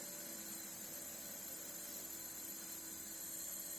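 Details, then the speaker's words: Alfa Romeo Spider 2000 leak-down test at about 100 psi input, with cylinders two and four holding only about 10–12 psi. A steady thin hiss of air escapes, felt at the exhaust and also heard at the intake, so the exhaust and intake valves are leaking. "i can feel the actual air coming out of the exhaust here so there's a bad leg from the actual valve exhaust valve any intake valve you can hear here as well"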